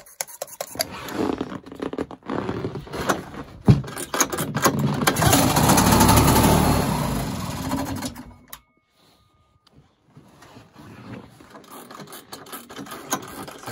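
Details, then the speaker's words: Old two-stroke snowmobile started on primer gas: rough catch and brief rev, then sags, sputters and cuts out as the primer runs out just as it began pulling fuel from the tank. "well just as i had it beginning to pull fuel from the tank i ran out of primer gas and i'm all out of sled gas"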